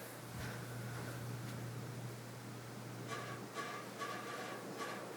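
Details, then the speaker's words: 1982 Casablanca Century 9000 ceiling fan with Delta motor on high speed: constant low motor hum with a light regular tick or rattle about twice a second, not heard before. Something is suspected loose. "sure what that is, but it didn't make that sound before. It's probably just something rattling. It's very powerful, and now off."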